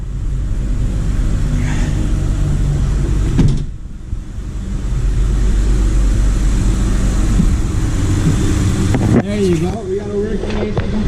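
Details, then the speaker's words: Honda Ridgeline V6 (2005/2006) after AC compressor replacement, engine idling: steady low idle, then a click/clunk as the compressor clutch engages when AC is switched on, idle settles evenly; compressor working, line ice cold. "AC off AC on I can hear it click"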